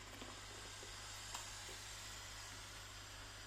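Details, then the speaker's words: Dirt Devil Easy Steam Express II DDSTM1500 steam mop, after removing heater mineral buildup, still flushing gunk and probably CLR residue out: soft, steady hiss with light sizzling and occasional spits, normal steaming. "Okay, I think maybe the steam's going in the pizza box, but right. Steam is coming out as well as all of this gunk."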